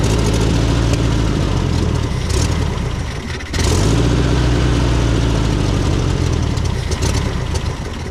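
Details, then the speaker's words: 1970s VW Beetle, sitting over 20 years in a barn, air-cooled engine restarted after a CB wire fix: revs sag and pick back up unevenly; carburetor definitely needs rebuilding. "right so what I figured out is this carab definitely needs rebuilding anyway cuz"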